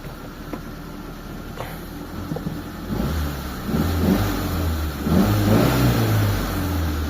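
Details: Mitsubishi Lancer 4G13 carbureted engine, before carb repair, reported hard to start and leaking: cranks and catches, then a rough, loud note climbing with revs; idle not normal and oil warning light on; noisy engine, cause not yet confirmed.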